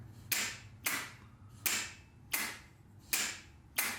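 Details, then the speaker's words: Bench test of a starter for a 1990 Chevy Camaro 350, power switched on and off at the solenoid post: sharp single clacks as the Bendix gear shoots out cleanly. Normal solenoid engagement. "so we know that it is shooting the gear out to engage the flywheel"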